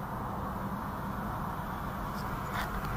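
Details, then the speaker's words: 2020 Ford Ka 1.0 sedan test drive after replacing right front shock absorber with worn rod guide: steady cabin road rumble, previous right-side suspension noise gone. "Fantástico acabou aqui o barulho que tinha aqui do lado direito"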